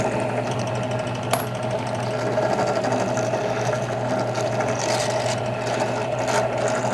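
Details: Drill press running a Kwik Trim rifle case trimmer cutting brass: steady mid-pitched motor hum, light cutting chatter and one sharp click near the start; trimming normally.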